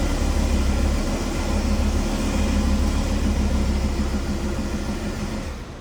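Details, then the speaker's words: Audi RS3 2.5 TFSI five-cylinder, brought in for an oil leak: shaky, rpm-limited lumpy misfire under a heavy low rumble; suspected cracked piston pressurising the crankcase and blowing seals. "shaky shaky limited RPM misfiring not good"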